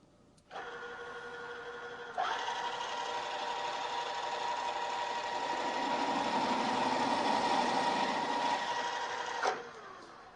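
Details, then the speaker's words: Drill press stepping up to a half-inch bit on the way to a 1-inch hole; a whir, then harsh ringing chatter as the bit deflects and jumps around the hole, from too high a spindle speed. "you could hear that noise it's called chattering and that's caused by the drill deflecting and jumping around the hole as it's uh coming in contact with the part this is usually an indication that I'm running the drill a little bit too fast"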